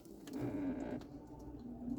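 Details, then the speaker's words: Hyundai Creta, shop says it needs lubrication and cleaning: faint clicking and soft whirr behind the dash for about a second as the air conditioning flap reverses when the car is switched on; noisy flap actuator. "escutou o barulho isso é a portinhola do ar condicionado que é justamente quando ela faz esse reverso aqui ó"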